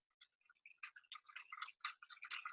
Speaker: like ticking I'm not sure if you can hear it there's a little bit of a ticking sound and so you know it's not right